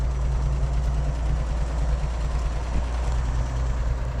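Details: 1948 Chevrolet Fleetmaster old six, freshly brought back to running and driving on a budget build, settles into a low, steady idle with an even beat and no misses, clean apart from wind rumble; needs only a little fine tuning.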